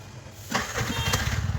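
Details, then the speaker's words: Bajaj BS6 CNG vehicle, 37,000 km, that would not start on CNG; after the fix, a brief crank fires on the first press on gas and settles into an even, thumping idle. "Success ஒரே self தான் அடிச்சேன் வண்டி start ஆச்சு"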